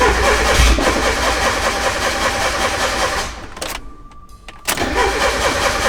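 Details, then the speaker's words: Turbo Miata, right after plugging in a newly mounted wideband gauge: starter cranks at roughly two and a half turns a second, pauses, cranks again, never fires; cause unknown — crank, no start. "I plugged the wideband in and now the car doesn't start what okay so um I unplugged the wideband see if it starts what the happened to this thing"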